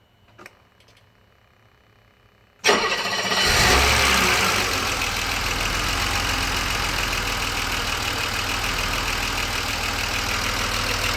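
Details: BMW 635CSi E24 investigated for rough idle via the ICV, warm at about 80% operating temperature after refitting the air hose to the throttle body: a quick crank and catch, brief rev flare, then an even steady idle; a normal warm start.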